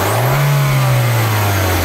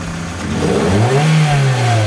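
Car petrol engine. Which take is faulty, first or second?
second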